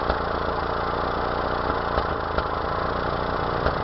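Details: 1992 Mazda B2600 idling: uneven idle with irregular stumble and occasional thumps; misfire of unknown cause.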